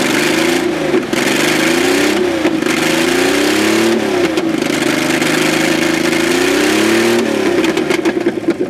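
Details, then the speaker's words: 1994 Astro van V6 after a base timing check; it idles fairly well, but when revved up and down repeatedly the note stumbles and drops out between revs. Misfire when revving. "I'm going to rev it up you can hear the misfire"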